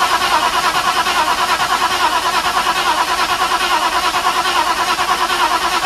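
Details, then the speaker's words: Restored Mercedes with new radiator, before its first start attempt: ignition coil and distributor unpowered and fuel pump cut, starter alone turns the engine to circulate gearbox oil; steady even cranking pulses over starter whir, never fires. "n est sur pas de pas d'allumage pas d'essence la pompe à essence est coupée au niveau de la bobine le bruit n'est pas alimenté et le distributeur non plus donc il y a que le démarreur qui tourne"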